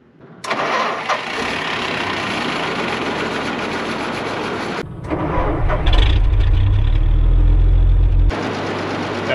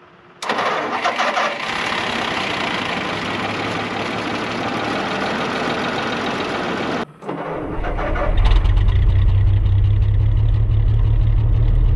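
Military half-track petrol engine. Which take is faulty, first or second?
second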